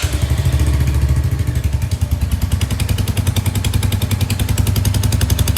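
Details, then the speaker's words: Royal Enfield Hunter 350 at idle; fast, uneven puffing crackle with sharp ticks on each pulse, exhaust leaking at the header joint near the engine, nut suspected improperly fitted by service center. "ऐसा लगता है जैसे कोई हवा लिक हो रही है ठीक मेरे हिसाब से जो इसके जो नट है वो प्रॉपर तरीके से फिट नहीं किया सर्विस सेंटर वालों ने"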